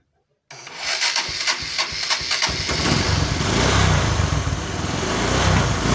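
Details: Honda Megapro monoshock single-cylinder motorcycle after spark plug gap set and a 1.5 µF/400 V capacitor fitted: starter spins a few beats, fires promptly, settles to a steady even idle, revs cleanly; runs healthy.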